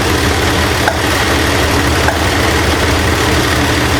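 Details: 1968 Ford LTD left abandoned, first start: loud, rough idle with a busy clatter over a lumpy beat, a valvetrain fault from a displaced pushrod.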